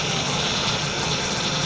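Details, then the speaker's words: 2010 Ford Transit Connect just after engine install, idling while steering turned lock to lock to bleed; thin steady high whine and hiss on top of idle from air in power steering system, not yet bled; engine also idles rough when warm, cause undiagnosed. "I also need to get the power steering system bled out, so that's why you kind of hear that going like that."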